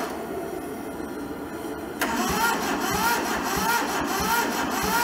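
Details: Toyota SDK4 skid steer diesel, rusted and seized, first start attempt with starter jumped across the solenoid, temporary diesel tank and ether; starter spins steadily about two beats a second but never fires; cranking without starting.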